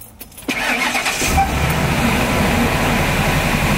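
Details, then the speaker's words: Wheelchair-lift van V8, cold start after sitting overnight, misfire had gone from random to hard: brief crank, then lumpy rough idle with a stumble every few beats, engine vibrating, belt squeak; misfire, ignition coil connector unplugged. "Actually, so it's not missing, but we've got a really rough idle. Well, it doesn't show up on camera, but the engine's vibrating a little bit."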